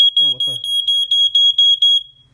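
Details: Ventek/Visual Alert FA100 smoke alarm with strobe from the early 1990s, just plugged in: shrill tone pulsing about four times a second, sounding and flashing then stopping intermittently; cause unclear.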